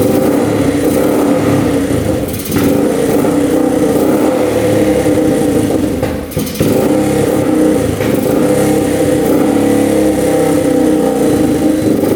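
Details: Rough 4x4 ATV sitting for years, first start after siphoning old gas, partial choke: single-cylinder runs fast and rough with two brief sagging stumbles, barely staying lit; dies off choke; owner suspects not enough fuel, fuel screw to go out.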